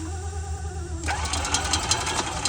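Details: EFI E-Z-GO golf cart cranking with a quick, steady chug of the starter that never catches; coil feed voltage is being tested for the not-firing fault.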